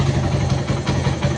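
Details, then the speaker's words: Suzuki Satria FU single-cylinder motorcycle, stock engine, restarted after seven years and restored with full service; quick, even, deep putter at idle, no knocks or ticks, described as soft and very smooth; normal idle. "Jos, sini guys, suaranya lembut kayak tepung terigu"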